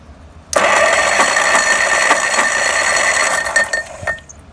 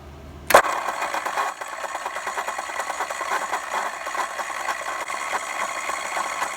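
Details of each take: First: OMC-powered vintage Capri cart found in barn, starter jumped from battery jumper box, steady high electric whirr for about three and a half seconds then stops; starter cranking freely, previously stuck. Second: OMC single-cylinder engine on a vintage Capri golf cart found stuck in a barn, after a mouse nest was blown out and the starter drive lubed: a sharp click, then a steady fast whirr with a light rattle as the starter spins the engine over without it catching.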